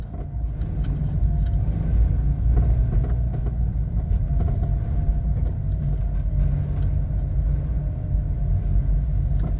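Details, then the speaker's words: VW Gol/Voyage-family car driven over small bumps: low road rumble with irregular sharp front-end taps; suspected steering tie-rod end, stabilizer link or inner tie rod, unconfirmed. Front knock over bumps. "ó olha que barulho irritante e as pancadinha é forte então isso aí pode ser terminal de direção Pode ser bieleta né"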